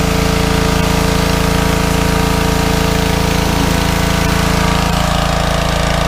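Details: Small petrol engine on a fairly new pressure washer, after carburetor cleaning for suspected fuel starvation from dried ethanol gas (clogged bowl screw jet) following over a year sitting, runs smoothly pulling the pump at a steady even beat, no surging or misfire; normal running under load.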